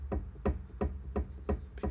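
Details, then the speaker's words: Old rear brake disc from a BMW R1150R, likely original at about 50,000 miles, rocked on a flat surface before replacement. A hollow knock about three times a second as it rocks back and forth: a warped disc. "because it is not flat, it's a little bit warped. Again, probably hard to see on camera, but you can hear that."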